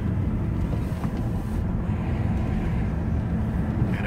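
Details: 2003 Jaguar XJR driven on the road after replacing the front sway bar end links: steady tire and road rumble with no front-end knocks or rattles; suspension sounds tight.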